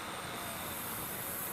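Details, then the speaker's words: Toshiba M-66 VCR, front panel off: thin, steady high-pitched squeal over running hiss when the head is interfered with; abnormal squeal, owner believes the power supply is on its last legs. "not supposed to make that sound you can tell that the power supply is on its last legs"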